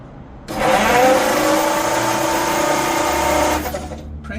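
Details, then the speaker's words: 1951 Ford F1 flathead V8 that sat over 20 years, cranked on the starter with plugs out after oiling the cylinders: steady whirring about three turns a second, no compression pulses, spinning freely and speeding up; oil pressure present, filter line leaking. "Maybe it just needed some oil on them rings. Seems like it's starting to spin a little faster."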